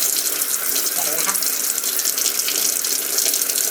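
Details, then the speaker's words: Panasonic AF90B2 washing machine, after repair of fault where fill water drained away continuously: steady hiss and splash of water filling the tub, nothing draining; normal fill. "ไหมคะเห็นไหมครับตอนนี้นะครับเราเปิดน้ำเข้าถังและปรากฏว่าน้ำไม่ไม่เททิ้งแล้วนะครับ"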